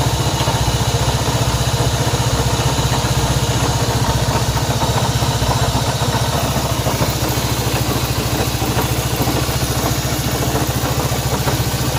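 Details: Honda CB190R motorcycle engine noise at idle: a steady idle with a rapid ticking layered over the low exhaust thrum, an abnormal noise whose source isn't clear.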